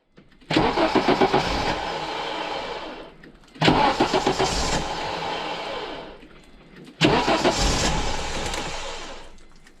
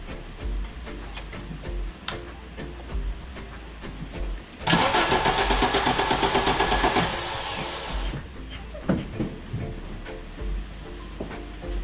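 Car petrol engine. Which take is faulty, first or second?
first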